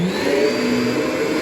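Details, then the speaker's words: Central vac whose motor can't move more air than the Kirby, airflow restricted: steady strained hum at raised pitch; motor running faster because it isn't moving the full volume of air. "As you can tell, it's running faster because it's not moving above. Let me shut it off here. It's kind of running at a higher pitch because it's not moving the full volume of air through it."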